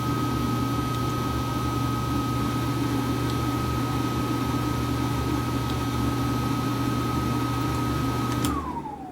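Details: Bathroom exhaust fan after its buzzing timer switch was replaced: a smooth, steady motor drone with an even low hum and a clean whirr that winds down at switch-off. The fan runs healthy.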